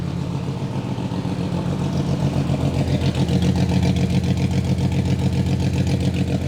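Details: Abandoned VW Phaeton W12 with secondary catalytic converters removed, first start: deep rapid even burble with harsh raspy bark, extremely loud, "like a dinosaur"; decatted exhaust.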